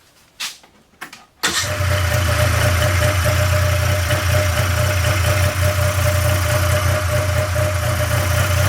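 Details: 1997 Polaris Indy Classic two-stroke barn-find snowmobile on new hoses and fresh, thickly oil-mixed gas: brief cranking, then it catches at once and settles into a steady, even idle with a smooth low drone; judged a good running machine.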